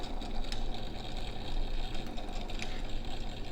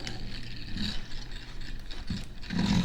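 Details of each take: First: Vintage Signatrol mechanical neon sign flasher, 1962 or 1982, after replacing the worn brass shaft bushing: even motor whir with quick contact clicks ticking steadily as the disc spins; normal flasher operation. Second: Vintage Signatrol mechanical neon sign primary flasher, dated 1962 or 1982, speed adjuster varied: uneven whirring with scratchy ratchet-like clicks and a dry rasp from the gear train; stiff parts, owner suspects it needs lubrication; dry mechanism noise.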